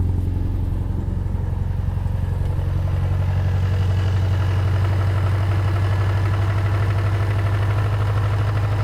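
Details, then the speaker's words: Subaru EJ25 SOHC after a cheap head gasket and timing kit job, first start after reassembly: steady idle with a fast, uneven clatter about two or three per second from the timing cover area. "we fired the car up for the first time fired right off but we had a little bit of uh noise coming from the timing cover area which typically is not a good thing"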